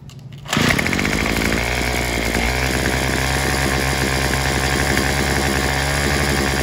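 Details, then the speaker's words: Craftsman WS210 trimmer after a carburetor replacement, with the bulb and diaphragm parts swapped onto the new carb. It catches and holds a steady, strained buzz that never climbs to full revs; it won't reach full throttle or idle properly, cause unclear. "we've got the weed eater running except it won't throttle all the way up so I'm not sure what's going on with that"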